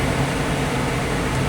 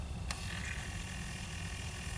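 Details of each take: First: 2006 Pontiac Solstice after the blend door actuator replacement, HVAC recalibration with LEDs flashing, fan on full and engine off: a steady blower rush with a low hum as airflow moves vent to vent, a normal calibration sweep. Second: 2006 Pontiac Solstice, ignition on, temperature-control blend door actuator motor before repair: one notch off cold, a faint whir runs about five seconds then clicks at the end stop, going to full travel instead of intermediate stops (only full heat or none).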